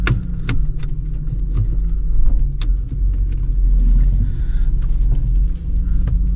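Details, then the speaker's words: 1996 Ford Mondeo Ghia 2.5 V6 24-valve wagon, about 210,000 km: a few clicks at startup, then a low, smooth rumble settles into an even idle with no knocks; normal start and idle. "Suena increíble."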